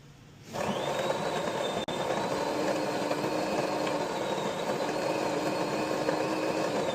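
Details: DeLonghi espresso machine (European 220 V unit on a transformer to 120 V), customer complained of loud pump and low coffee level; pulling an espresso shot in the shop, steady buzzing hum with faint high whine, even throughout. Pump works normally.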